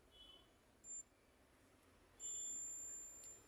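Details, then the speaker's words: Maruti Swift petrol with misfire: multimeter continuity test on the ECM injector pulsing wire gives brief beep then steady tone, wire intact; ECM suspected faulty, injector still to be tested. "Beep sound आ रहा है multimeter में, इसका मतलब wire ठीक है दोस्तों।"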